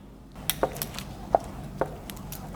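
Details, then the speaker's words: Bare VW Golf R MK7 engine out of the car, with 246,000 miles and blown up; turned slowly by hand, it gives sharp metallic clunks at uneven intervals from damaged, copper-colored rod bearings. "I was rotating this engine over and I noticed this noise"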